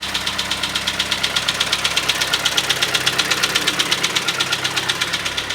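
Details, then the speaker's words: 2012 pre-facelift Kia Sportage with G4KD engine at 133,000 km, knock began in winter frosts: hard rapid metallic knocking about eight blows a second in time with idle; piston slap against the cylinder wall. "Сегодня у нас Kia Sportage g4kd до рестайлинг 2012 год стучит неимоверно такое ощущение что молоточек вместо поршня и по гильзе хреначит пробег 133 тысячи километров"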